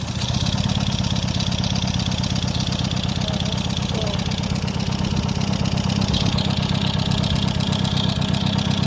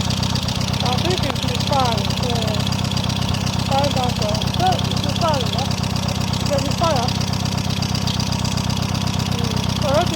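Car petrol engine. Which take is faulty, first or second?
first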